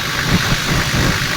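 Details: Toyota Land Cruiser 70 series diesel after new 24 V fuel shutoff valve fixed its crank-no-start: steady even idle, smooth low rumble, no misses or knocks; runs clean.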